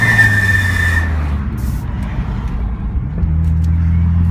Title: Ksport brake squeal!